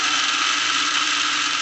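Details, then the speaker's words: Lionel plastic-case Scout motor in a #1110 2-4-2 locomotive at about half throttle (7–8 volts): a steady, harsh, high-pitched whirring buzz that stays loud even at slow speeds, a common trait of these plastic motors. "so it will go on these slower uh speeds but you hear how loud it is even at these slow speeds this is a common trait of the plastic Motors"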